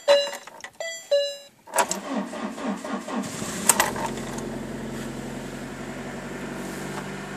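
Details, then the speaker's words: Car with a flat battery jump-started with an S-Start lithium-ion booster pack: a few beeps, brief quick cranking, then the engine catches and settles into an even idle; easy normal start. "Машина с легкостью завелась."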